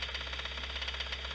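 A sharp, regular knock, about seven a second, raps over the idling truck engine: a worn connecting rod bearing.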